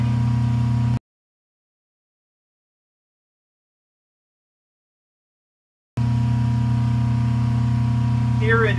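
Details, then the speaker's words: Rotary phase converter rebalanced with added capacitors on the wild leg, running a 5 hp band saw: steady, even low hum with no growl or flutter. Load carried evenly; balance much improved. "with the band saw running witches the five horsepower machine so I think the balancing this is a lot better now"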